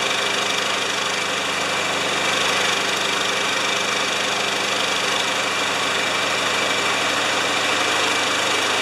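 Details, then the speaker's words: Spare Briggs Quantum lawn mower engine at 3160 rpm after enlarging the carb brass jet's vertical hole one size to cure surging, with sharper blade and clean plug: steady, even buzz, no surging; governor holding speed. "it likes to be primed and won't hold that against it that's it so sharper blade clean plug uh that doesn't surge anymore"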